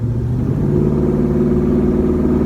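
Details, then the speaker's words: 1967 Chevy C10 shortbed V8 on a ride-along with Magnaflow exhaust (front lowered five inches, rear four): deep, steady low rumble under light throttle, even smooth pulse, no knocks or rattles; normal healthy V8 exhaust note. "what else magnaflow exhaust sounds really nice"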